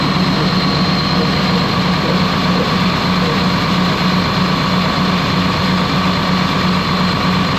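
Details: Ex-US Army Cat D6R bulldozer, 822 hours, valve cover loosely on, oil coming from cylinders: heavy diesel loud and uneven with irregular beat; running rough, cylinder cutout test finds number 6 injector not reacting.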